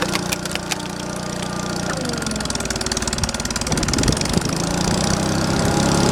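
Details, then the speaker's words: Old wood splitter's small single-cylinder engine restarted with cold old oil after sitting a while in cold weather, settling into a steady, even chug with no knocks or misses; still runs fine. "still old splitter still runs how about that guys"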